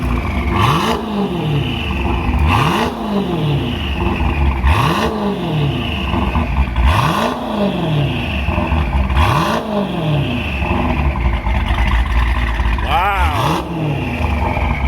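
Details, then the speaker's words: Dodge Hellcat Charger with a Hellion twin-turbo kit and new custom exhaust; earlier ticking from exhaust leaks is fixed. Repeated blips with clean rising and falling turbo whistle and a quiet, leak-free exhaust; normal, healthy revving. "You guys hear how quiet the motor is? Listen. Wow, you can hear the turbos more and everything. This thing sounds ridiculous."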